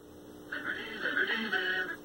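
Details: 1960s Philco S-1262BK black-and-white vacuum tube TV after reseating tube sockets and output tube and fixing a joint: program sound clean and clear with no hum or buzz; audio stage working properly.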